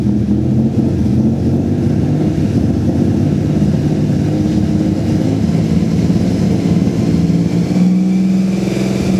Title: strange engine sound vg30dett